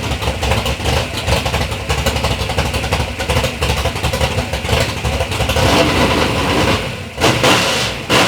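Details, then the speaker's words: 3rd-gen Camaro big-block Chevy V8, first start after years of building: deep, throaty V8 snapping up and settling through several blips, firing evenly with no knock or miss; normal revving, sounds healthy. "but initially we got to hear the motor run sounds good sounds healthy"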